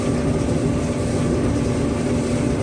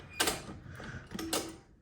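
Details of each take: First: An old Maytag gas dryer, unused for a while, hooked up to a natural gas line with the panel back on, is now heating. It gives a constant low rumble with a steady hum as the drum turns evenly, running normally. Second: Old Maytag dryer timer turning: two sharp creaking clicks with a short squeaky tone between them, a screeching timer; the owner thinks it needs cleaning out, not confirmed.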